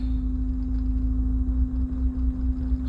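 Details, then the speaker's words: 1997 BMW 328i E36 with crank and MAF codes, after cleaning the MAF: lumpy uneven idle with irregular dips, hesitating, misfiring, dies on throttle; misfire from faulty MAF sensor. "just hesitating. Not even It's just misfiring. Let's give it a little throttle. and it died."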